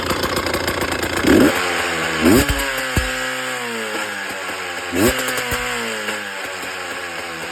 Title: Bad engine sound - Husqvarna TE 300 TPI 2018 Unknown issue